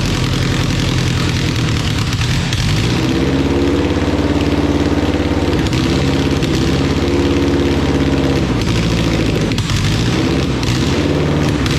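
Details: Honda Civic EK D-series four-cylinder after first start with swapped ECU and conversion wiring: steady idle with even low hum, no knocking or hunting; running fine.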